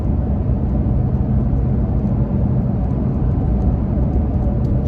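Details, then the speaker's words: Toyota Tacoma with the OEM roof rack deployed, cruising at 55 mph with the windows up, heard in the cabin: even low road and wind rumble with no whistle or tone; the roof rack is quiet. "don't hear anything uh before i put the window down so we can get a test with that"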